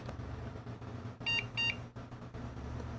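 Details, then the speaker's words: Old Celeron socket 370 (Pentium III era) PC at power-up: two short high beeps over a quiet fan hum as it boots, later loading Windows ME. A boot beep code; cause uncertain. "okay let's plug that in oh it sounds like it's booting already"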